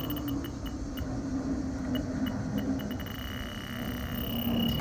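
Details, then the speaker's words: Fieldpiece DR82 detector probing an evaporator coil charged with a little R22 and pressurized to about 300 PSI: rapid high beeping over steady hiss and hum, settling into a continuous tone; leak pinpointed inside the coil tubing. "So now I'm actually able to pinpoint it exactly where it's at. Right here. The leak is somewhere right here inside inside the coil."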